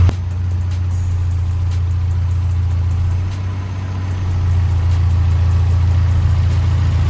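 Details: 4K engine after tune-up and valve clearance adjustment that cured ticking from the head, carb also retuned: low, even idle holding steady through a slight dip, no top-end tapping; normal idle.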